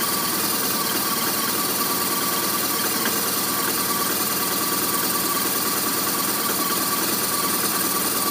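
Uneven, stumbling idle with irregular beat and a thin, buzzy top end; the motor isn't firing cleanly, a rough idle.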